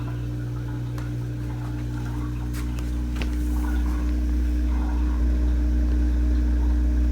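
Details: Samsung DW80R5060US dishwasher in diagnostic test mode, test 4 drain test; even low pump hum holding steady with some gurgling as water drains out through the sink tailpiece; normal drain pump operation.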